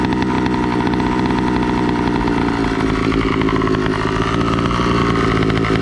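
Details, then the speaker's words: Two-stroke motorized bicycle with an NT carburetor, pilot screw at its richest setting. A loud, busy idle with a lazy burbling beat and heavy smoke when the clutch is let out. Over-rich mixture. "i can tell you for sure that is rich as hell the amount of smoke is just dumping out off of just you know clutching it up"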